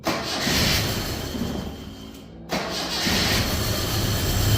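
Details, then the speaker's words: Datsun Roadster with EFI on 93 octane, cold start in the 50s °F after adding cold-start fuel: fires, stumbles, nearly dies, then uneven hunting idle. Tuner says after-start is wonky and needs more fuel enrichment; rough running after cold start. "okay so we added some more fuel it looks like after Starks a little bit on the wonky side uh but it's definitely there so it definitely need some more fuel"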